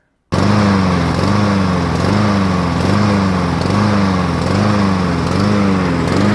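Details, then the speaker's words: Neighbour's lawn mower with over 2-year-old fuel, started by putting fuel on the air filter: runs super rough, speed rising and falling about once a second, hunting on the governor; no mechanical issue found, cause unknown. "And I got it to start up. It ran super rough, revving up and down with the governor. You can hear that in this clip."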